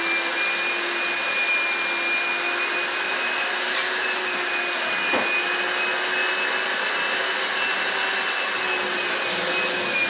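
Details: Carpet cleaner running normally after pump switched on and water added, owner suspects earlier fault was a small blockage or trigger connection issue; steady high-pitched motor whine with even airflow rush, no surging or rattles.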